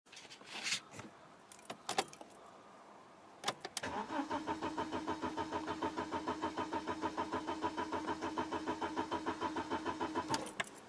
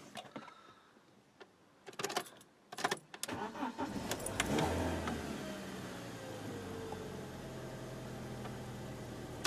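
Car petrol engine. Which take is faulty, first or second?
first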